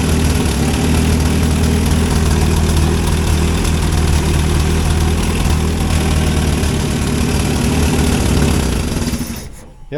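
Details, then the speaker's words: 1963 Hillman Super Minx engine: runs at a fairly even idle about nine seconds, then sags and dies from fuel starvation; fuel pump faulty beyond an air leak, owner suspects its valves aren't opening and closing properly. "so it runs out of fuel so something wrong with the fuel pump that's it's it's more than just leaking air"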